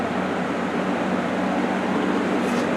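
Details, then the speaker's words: Restored old box fan running: an even, steady whoosh of air with a soft hum and no ticking, rubbing or wobble. It moves the same air with the same noise in either direction. "And surprisingly, unlike a lot of box fans from this era and just in general, this thing moves just about the same amount of air and makes just about the same amount of noise regardless of which direction you have it in."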